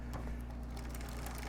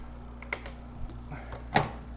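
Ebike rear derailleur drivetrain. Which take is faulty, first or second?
first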